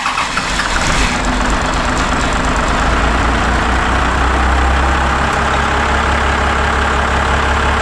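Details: Diesel engine in an off-road rollback build, first start after fuel system air bubble suspected and pump now pumping fuel: catches and settles into a loud, steady rumbling run with no stumble or misfire; normal running.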